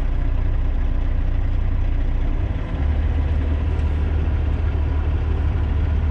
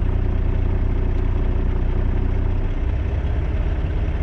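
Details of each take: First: 2018 Volvo VNL760 diesel with idle raised from 600 to 700 rpm: a steady low rumble settling into an even, smoother beat as the vibration heard at lower idle goes away; healthy. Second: 2018 Volvo VNL760 diesel truck idling at 600-650 rpm with a deep uneven throb and vibration from too-low idle; raising idle to 700 rpm with a wooden throttle prop made it run smoother.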